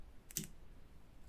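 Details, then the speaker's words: Remote battery disconnect relay being installed on a Smart car's 12V system and switched by remote: one sharp click, then a fainter click about a second later as it connects and disconnects; normal relay operation. "That's it, connecting and disconnecting."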